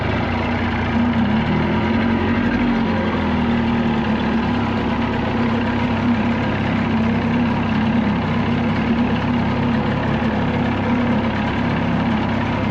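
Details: 1979 Evinrude 35hp outboard at no-wake speed after adjustments, with the air box left off. A smooth, even putter holds a steady low speed with no stumbles, surges or knocks; healthy, and a little smoother than before.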